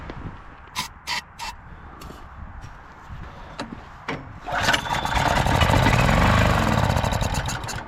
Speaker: yeah so runs nice on choke right there with just a little spray um haven't tested any Electronics yet but uh immediately dirty carb